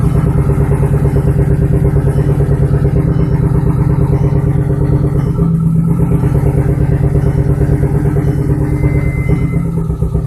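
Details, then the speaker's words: Turbocharged Audi TT first start after sitting about two years, engine primed, on two-year-old fuel; deep lumpy idle with uneven stumbling beat. "Alright, so it sounds a little rough. I'm going to go ahead and make sure everything looks good. I am also running 2-year-old fuel, so that could be it, but let's go take a look."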